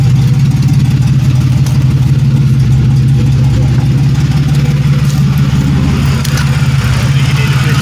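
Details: 1997 Pontiac Grand Prix GTP two-door coupe, recently bought, low on gas, catalytic converter removed: loud, deep, steady idle with even exhaust pulse, no misses or knocks; running great.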